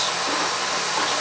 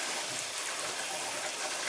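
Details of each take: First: Oil boiler burner after service with a smaller nozzle fitted and air band to be reset: steady, even roaring rush of air and flame with no pulsing, rumble or sputter; flame looks fine, maybe slightly more air needed. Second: Boiler heating zone with PEX piping being purged after service: steady rushing, gurgling water hiss with sputtering air pockets as trapped air comes out of the loop; air purging from heating loop.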